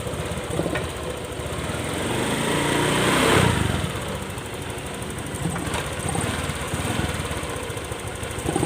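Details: Honda Click 125 scooter brought in with a stuck throttle and stiff throttle body, after a sensor replacement: a small single cylinder idles fast and steady, with one brief swell, and the revs hang high without settling. High idle.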